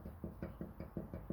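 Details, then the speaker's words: Hyundai Sonata EF (TagAZ), 180,000 km, front CV axle shafts worked up-down and back-forth by hand: quick regular dull clunks with about 5 mm play, heard on any small bump; CV axle play clunk. "вот видно люфт и вот такие звуки на любой любой небольшой неровности начинается"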